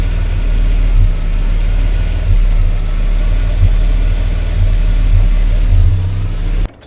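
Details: Ford EA Falcon low, lumpy rough idle with uneven beats and occasional stumble; running very rich with hint of misfire, cause not found.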